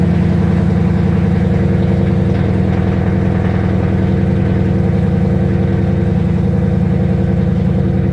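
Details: 2012 Ford Mustang GT, codes cleared, oxygen sensor codes pending, O2 sensors not yet replaced: idle pulses unevenly, still rough; cause suspected, not confirmed.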